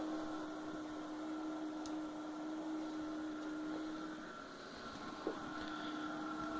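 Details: Two Intronics MPPT solar charge controllers on a 24 V lead-acid system: faint, steady high-pitched electronic whine in a quiet room with no clicks or buzzing. Normal operating whine.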